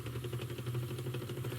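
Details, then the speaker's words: HIFIVOX MH2000 French reel-to-reel tape recorder with cracked pinch wheel and weak take-up tension: quiet motor hum with a fast, even lump-lump pulse from the rewind spool side; owner suspects something cracked, cause not confirmed. "there was definitely a lump lump lump coming from the rewind spool"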